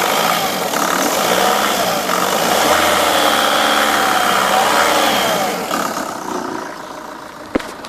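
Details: Vauxhall/Opel Astra H Mk5 1.7 diesel with 98k on it: an even idle, then smooth revs rising and falling cleanly with no knocks, rattles or misses; normal diesel idle and revving.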